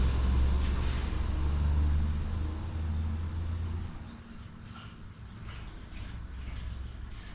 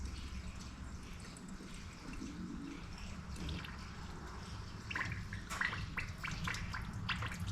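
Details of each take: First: 2019 John Deere Gator XUV835R, replacement Chery SQR372 engine, during coolant bleeding: low steady idle hum under bubbling coolant, no knocks or misses; normal idle. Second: 2019 John Deere Gator XUV835R (Chery SQR372 engine, 12,000 mi) after an engine swap following power loss with an antifreeze smell. During coolant bleeding, soft irregular gurgles grow busier as trapped air bubbles out of the cooling system.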